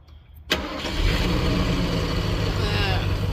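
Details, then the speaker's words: Revived junkyard Ford Thunderbird with a bad accelerator pump. It catches at once and settles into a steady, even idle with no misses or knocks, a normal start and idle. ">> Starts up and runs great."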